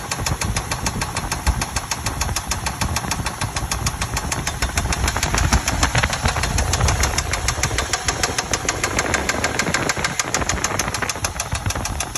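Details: 2000 Chevy Tahoe Limited idling with a sharp, fairly regular ticking knock about three per second over the idle; the cause of the engine knock is not identified.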